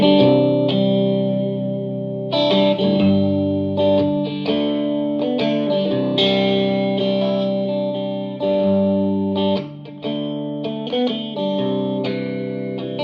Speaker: I decided to replace both the preamp tubes in the Vox um same way and just let you know what it sounds like